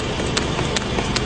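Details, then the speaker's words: BMW M5 brought in with an engine-knock complaint: sharp knocks about every 0.4 s over a rough, revving engine; clear engine knock, cause not stated here. "парень приехал на BMW M5 с жалобой на то что у него стучит двигатель и побыстрее немножко так"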